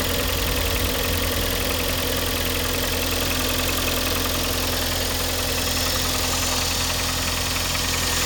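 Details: Kia Sportage 2012, G4KD engine, cold start: loud, fast metallic chatter over steady cold idle, constant speed, noise appeared this week; owner suspects cylinder scoring, unconfirmed.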